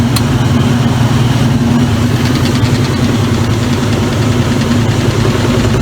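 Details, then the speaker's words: Circa-2003 Maytag Oversized Capacity Plus top-load washer spinning at about 600 rpm: steady low rumbling hum with mild even shake, top wobbling; spinning smoothly and normally. "it does spin pretty fun it has no problem spinning the clothes dry and everything"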